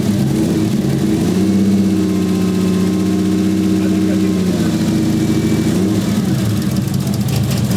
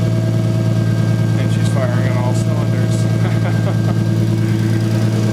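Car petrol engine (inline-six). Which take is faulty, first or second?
first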